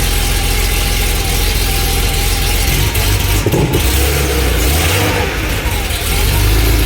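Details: Barn-find Porsche 911 SC, sat 16 years: loud uneven hunting idle with occasional pops back through the intake; lumpy running, mixture to be adjusted, pop-off valve to be fitted.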